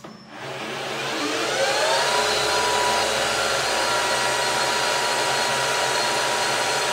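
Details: PM-1440GT lathe with a new Marathon E470 3 hp 230 V motor on a Hitachi WJ200-022SF VFD, replacing the cogging stock motor: whine climbs smoothly about two seconds, then holds a steady high pitch, no rattle; normal at high speed.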